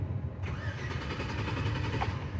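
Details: 2005 Chevy Avalanche 1500 5.3L, previously would not crank, now wired with a push-button switch from stereo power: steady starter churn about two seconds with no catch; cranks but no start, fuel pressure not built up before cranking.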